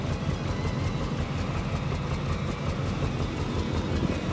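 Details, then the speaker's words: Fox-body Ford Mustang 5.0 V8 idling warm, temperature rising: loping idle with uneven beats two to three a second stumbling irregularly; owner suspects very old fuel (additive added) and likely needs spark plugs, unconfirmed. "I'm honestly thinking it is the fuel. I mean, this fuel was very old."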